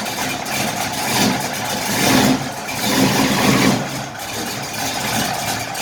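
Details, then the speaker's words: 1968 Impala V8 with aggressive cam, starts instantly: quick catch into lumpy, loping idle with a few throttle blips, no knocking or ticking; normal idle. "you click the key on hit ignition boom it's running it's cammed out man that sounds good"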